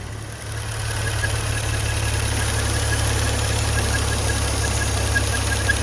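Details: Maserati Ghibli/Levante V6 at idle with a faint thin squeak chirping on and off, caused by a hole in the PCV (oil vapour) valve diaphragm; fix is replacing the whole PCV valve assembly (OEM 293162).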